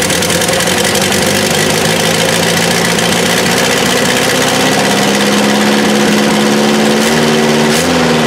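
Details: 1984 Toyota SR5 pickup after about five years sitting, cold start with gas added to the carb bowl and fuel pump smacked with a hammer: engine catches and holds a steady, somewhat lumpy idle, revs creeping up slightly; running on its own.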